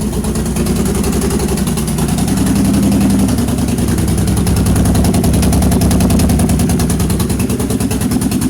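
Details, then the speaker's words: 2006 Pontiac Grand Prix supercharged V6, used donor engine first start after swap, open downpipe; rough, uneven idle stumbling about three times a second, sounding like a slight misfire. "It kind of sounds like it's misfiring a little bit. I don't know. I put some brand new spark plugs in it whenever I had it on the stand."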